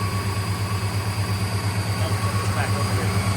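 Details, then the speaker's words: 1958 Studebaker Golden Hawk after unsticking the carburetor needle and seat, left to warm up: even, steady low idle with no stumbles. Normal running after the repair. "All we had to do was unstick the needle and seat. Not bad. Here, let's let her run a couple minutes. Let's get some heat in it."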